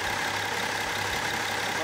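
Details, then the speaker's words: BMW X3 3.0L N57 diesel, on its first start and warm-up after a full overhaul. Steady, even idle clatter with no chain rattle or rhythmic knocking; it runs quieter than before the work: healthy idle. "ja ich muss sagen läuft auf jeden Fall ruhiger als vorher"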